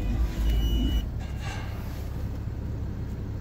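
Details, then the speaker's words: 2017 Dodge Journey, slightly warm during a pre-purchase inspection: low, steady idle drone after a brief louder start, no surging or dips; healthy. "не гуляют работать ровно завелась хорошо"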